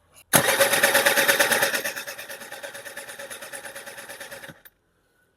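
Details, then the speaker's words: Thai small motorbike that stood a long time and wouldn't start, running after fuel was fed to the carburetor: a harsh, rattly, loud pulsing roar; the owner suspects a worn bearing. A clogged two-stroke oil hose was later found, and the pump was fine. "มันยังไม่เข้าคาบูแล้วติดแต่ว่าเครื่องดัง[เสียงหัวเราะ]มากน่าจะดังแบบลูกปืนคอด้วยนะครับผมนะ"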